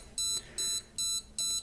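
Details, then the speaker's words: Custom STM32 drone flight controller (MH-FC V2.2) powered on with FS-i6 transmitter off: even high beeps about every 0.4 seconds in a quiet room; buzzer code meaning receiver not connected, waiting for iBus data. "네, 전원을 넣었고 이런 비품이 들리고 있는데 지금 이 비품은 조종기랑 수신기가 연결이 되고 있지 않아서 나는 비품입니다."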